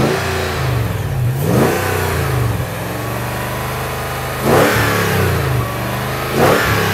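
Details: Toyota Land Cruiser 100 Series 2UZ-FE V8 after flooding: smooth, even idle with three quick clean revs; a bang heard is a neighbor's firecracker.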